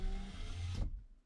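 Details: 1997-2001 first-generation Honda CR-V with non-working power door locks and a dead driver-side window: a working passenger power window motor gives a smooth, even hum for under a second, stops cleanly, then runs again.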